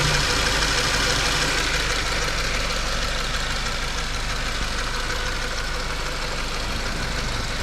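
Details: Subaru FB16 engine at idle: steady idle with a regular light knock, about three a second, riding over the engine; a knock is there but its cause is unclear.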